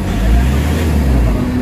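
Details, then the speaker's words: Nissan NV350 Urban Premium diesel van, treated with XADO for low power and throttle delay; deep, even, steady drone, no roughness or surging. Engine now quiet and smooth, power sound from the combustion chamber rather than hissing at the intake as before. "You know, kita nyo yung under ng makina, tahimik na talaga yung ano, yung engine. Medyo pulido na yung under, talagang yung galit niya."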